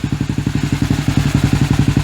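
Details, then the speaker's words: KTM 450 after over 10 years unused, warming up: steady thumping single-cylinder idle, about eight firm, evenly spaced pulses a second; runs on its own and sounds healthy, though it later dies. "sounds okay I'm letting it warm up a little bit because it's running on its own"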